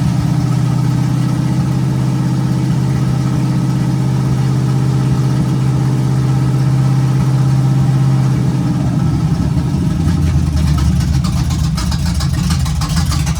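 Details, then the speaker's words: 1951 GMC cab-over on its first start, after a temporary vacuum leak fix and a timing tweak: a steady, deep, even idle with a firm low beat and no misses or knocks, picking up cleanly near the end. It runs good. "Cool. So she runs. Runs good too."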